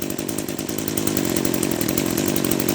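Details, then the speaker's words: Echo SRM-210 trimmer, first run after carburetor rebuild with Zama RB-188 kit; small two-stroke buzzes at a slow, slightly uneven idle, barely staying running. Idle speed set too low, to be adjusted at the carburetor. "my machine is running a little bit kind of funny because it's running the the idle kind of sounds like a little bit too low it's idling a little bit too low"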